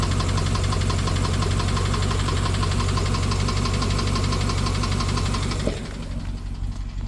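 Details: BMW 750Li N63 V8 after fuel injector and high-pressure fuel pump replacement: busy idle with a sharp regular tick over an uneven beat about three per second; misfire and ticking, owner wonders if timing chain, unconfirmed.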